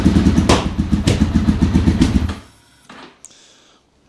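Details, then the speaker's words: Honda RC45 RVF750 brought in shooting flames and running on two of four cylinders, cold start: lumpy, stumbling rev with irregular spits and puffs, then dies; misfire, unburned fuel suspected, spark plugs checked first. "you can hear she's not that happy so she spits and puffs in the exhaust I think it's a lot of unburned fuel smells a little bit unburned fuel as well"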